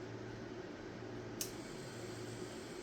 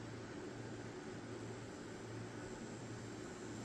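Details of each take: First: New Wormhole rotary tattoo pen loaded with a cartridge and run at about 4.5–8 volts, with the needle sticking out a lot. A steady, fine buzzing hum with a rough, grainy edge; it is very noisy and vibrates a lot compared with the other pens. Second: Wormhole rotary tattoo pen from an unboxed kit, run on a power supply at about 5 to 8 volts: soft, even motor hum with a steady low tone and no rattle; it runs smoothly and quietly.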